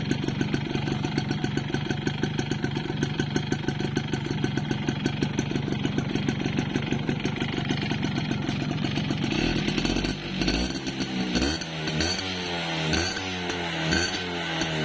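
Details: Yamaha Force 1 (F1ZR) two-stroke idling with a hard, rapid rattling knock, then revving up and down. Suspected piston slap; not confirmed.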